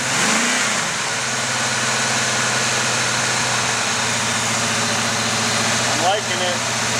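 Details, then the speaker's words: 1979 Oldsmobile 403 V8 from a Trans Am, running on a home-built engine run stand just after first fire-up: smooth, even note at steady speed with no knocks or misses, little vibration; healthy fresh engine, timing may need adjustment. "he price is good looking good I don't see much vibration little bit not bad pretty happy though"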